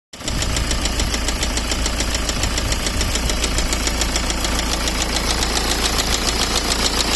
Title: BMW E60 520D M sport 2008 (Engine Knocking) part.2